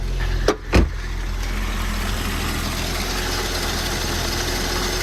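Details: Volvo after a new coolant tank and cap, with no warning lights on: after a couple of thumps it settles into a steady, smooth idle with no misses, ticks or rattles.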